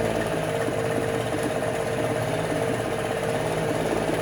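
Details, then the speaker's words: 1968 Electrolux Penta E-50 43hp two-stroke outboard, unrun 20+ years, 25:1 fuel-oil mix: uneven lumpy putter with widely spaced firing pulses; running on the top cylinder only, lower two cold with unfired plugs; oxidized wires or bad coils suspected. "Et en plus de ça, le moteur sonnait et tournait un peu bizarrement. Les deux cylindres du bas semblaient rester froids et seul celui du haut était chaud."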